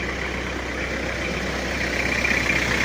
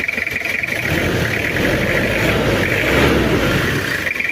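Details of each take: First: Toyota Kijang diesel after engine overhaul, warm after over 4 hours running, AC on, 1000 rpm: steady, even diesel clatter with a light hiss, smooth healthy idle, clean smoke. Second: Toyota Kijang diesel, cold start before overhaul, oil-burning and compression leaking: rough uneven run with lumpy beat and knocking clatter rising and falling with revs; heavy smoke when hot; worn pistons and liners.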